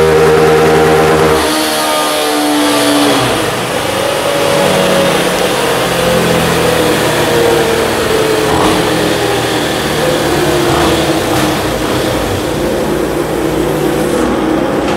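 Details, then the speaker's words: Honda CG 160 single-cylinder with a performance camshaft, revving and settling: a busy, light ticking of valve noise on top, acceptable for the build but unwanted by the customer, so a different cam is being tested. "galera tá fazendo barulho mas dentro da preparação esse barulho é aceitável mas é um cliente que não quer esse barulho"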